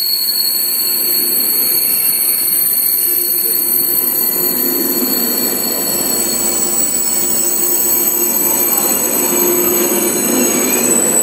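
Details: KTX high-speed train braking: steady high-pitched squeals over the rolling rumble as the train slows; normal brake squeal.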